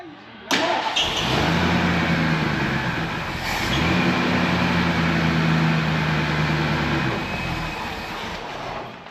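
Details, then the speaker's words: Cold 1974 Ford Ranchero 351 Cleveland V8 catches and holds a low, flat drone that barely climbs even with the throttle halfway to the floor; cold engine bogging from an inoperative choke. "I have it halfway through the floor and it's still not doing jack."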